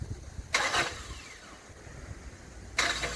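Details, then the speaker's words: 2012 Hyundai Santa Fe: two short harsh grinding bursts as the key is turned, with no catch or run-up, a weird noise on starting; starter drive failing to engage the flywheel. "if you have one that makes a weird noise when you try to sta"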